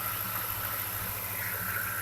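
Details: 1998 Ford F-150 4.6 V8 idling after replacing the cylinder 4 ignition coil for a misfire with a flashing check engine light: steady, even, smooth low rumble with no stumble, the engine running cleanly on all cylinders.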